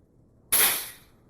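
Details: Scuba-tank fill station for a paintball HPA/N2 tank, after filling and closing the valve: release valve opened to depressurize, a sharp rush of air fading over about half a second; normal venting before removing the tank.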